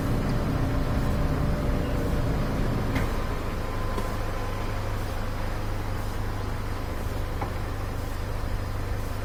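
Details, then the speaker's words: Maytag electric dryer that wouldn't start, running with the vent checked: low, even hum and steady rush of air with no rattles or straining; airflow good, no clog in the vent. "Looking good, no clog there. Airflow looks good."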